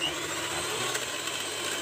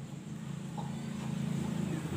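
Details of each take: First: Miyako hand mixer, owner reports rough sound and uneven rotation: harsh gritty rasp over steady motor whir, rotation not smooth; one gear likely damaged or worn from friction. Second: Miyako mixer after replacing both damaged gearbox gears (was rough-sounding, turning unevenly): smooth, even low hum building slightly and holding steady, no grinding or rattle; now running normally.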